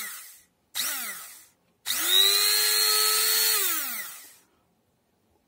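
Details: Promotec PM 590 blender after repair (the contacts cleaned): a high-pitched motor whine spins up, holds about two seconds and winds down cleanly. The motor runs normally.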